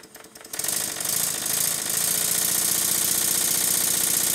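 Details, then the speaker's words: Stuart 7A model steam engine fitted to steam plant base, exhaust pipe unconnected: fast crisp even chuffing settling to steady beat, no knocks; runs better as valve gear tightness wears off, oil flung off bearings at speed. Normal running. "now that the tightness of the valve gear is wearing off the engine started to run even better"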